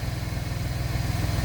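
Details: Gen2 Chevrolet Traverse after repairing the resonator-to-muffler exhaust leak with new nuts, bolts and gasket: steady, even low putter at idle with no puffing or ticking. Smooth, healthy idle.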